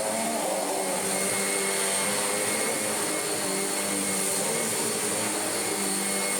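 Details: Kirby G5 vacuum after full refurbishment with all-new genuine parts (belt, brush roll, bags), first switch-on: steady high whirring motor with smooth even airflow hiss, no rattles or surging; normal running.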